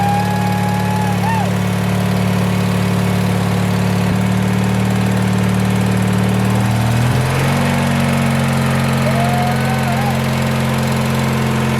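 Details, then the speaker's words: 1986 Murray lawn tractor single-cylinder engine after recurring carburetor trouble: steady, even idle beat with a brief speed change midway, settling smoothly; idles well, healthy. "Let's see if it'll idle. Oh my god, it idles so good."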